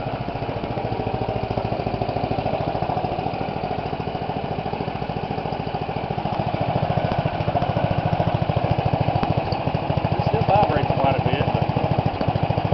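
Steady, even single-cylinder chug around three and a half beats a second, holding speed without misses; small engine running normally under alternator load.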